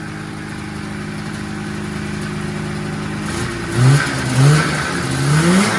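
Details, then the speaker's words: 1979 Yamaha SRX snowmobile two-stroke after fuel and cooling system work and fuel pump issues, first run with cooling system hooked up: steady idle, several quick blips dropping back cleanly without stumbling; normal, responsive revving. "run sounds too bad to me I'm pretty healthy"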